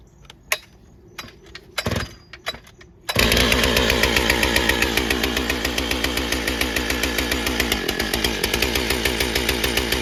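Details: Stihl MS661c with forged Wiseco piston, first tank of 40:1 mix, 32-inch bar, cutting soggy poplar: uneven burbling four-stroking and bogging on the first cut, cleaning up on the second cut.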